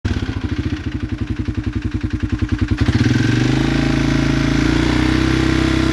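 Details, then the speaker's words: 2016 Polaris Sportsman 570 ATV after rebuilt crank was fitted, reusing old piston and cylinder: slow uneven thuds near three per second, rougher and louder as revs rise; owner suspects piston knock, clutch also noisy. "It's got a, I think that's a piston knock. You hear it in there?"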